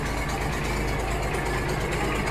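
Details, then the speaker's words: Barn-find Massey Ferguson tractor, sat for years, just started easily: steady, even diesel clatter with a regular low thump and no misses or knocks; smooth normal idle. "yeah man cool that was easy let's see if this thing will cut grass look at that all right it sounds pretty smooth it does run good don't"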